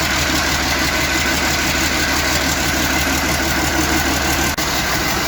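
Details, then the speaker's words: International 756 tractor with swapped-in DT360 diesel, not run for a few years: loud, steady idle right after first start, even clatter, no misses or stumbles; runs smoothly, water pump weep hole leak to check. "Wow, it runs! Woohoo! It's coming. There we are."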